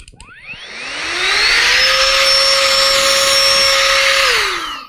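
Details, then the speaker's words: Battery-powered electric air duster with a carbon fiber brush, used for PC dusting and latched on by a double tap: a clean whine spins up, holds one steady high pitch for a few seconds, then winds down evenly; powerful, motor healthy. Normal running. "pretty powerful the batteries last good long time"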